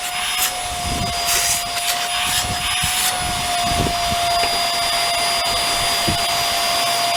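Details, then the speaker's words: Hoover Air Steerable WindTunnel vacuum being cleaned of a plugged hose: steady motor whine with airy rush and light even rumble, no grinding. Brush bar spins freely with only a little hair. Normal brush bar operation. "the brush bar spins nice if there's hair in there right along in here or in there just take it out and there's a little bit of hair on the brush bar which will be cleaned off but it spins really nice"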